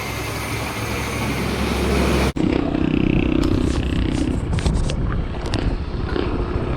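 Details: Kawasaki Boxer 150 after failed original CDI was replaced with a converted 4-pin CDI (pulser ground cut, extra wire added): steady single-cylinder pulse pulling away cleanly, brief dip then even firing, no misfire; runs like stock.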